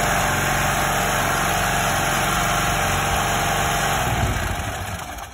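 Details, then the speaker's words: 2.8 kVA gasoline generator that refused to start, after valve lash adjustment, run with valve cover off: steady even single-cylinder putter at constant speed, no misses or valve clatter before winding down; runs properly. "you can see the gen starts right now so that's how to set a valve for 2.5 kv generator"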